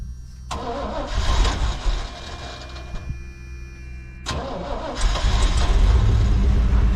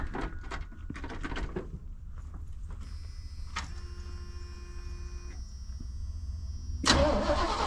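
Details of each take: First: 1988 pickup (long-to-short bed conversion) that sat over a year, old gas mostly drained, new exhaust: cranks briefly, catches and settles into a steady even idle with a clean rev, no knocks or misses; sounds good, normal start and idle, some smoke. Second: 1988 truck mid long-to-short bed conversion: quiet clicks, then steady starter churn about three turns per second that never catches; cranks no start, suspected out of gas or poor ground.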